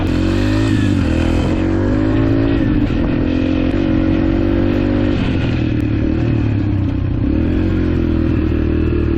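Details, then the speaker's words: Rebuilt 2003 Yamaha TTR125 single-cylinder dirt bike after repairing an engine knock: a crisp bark rising and falling cleanly through the revs, with no knock or clatter. It runs flawlessly, with lots of power for a 125. "Well, this thing is running flawlessly. Not a single issue. It's running really good."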